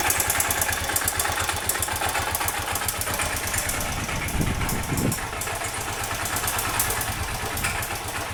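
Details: Honda Bros 125 motorcycle single-cylinder engine at idle. A steady, hard low knock on every crank revolution, typical of a worn connecting rod bearing. Connecting rod knock.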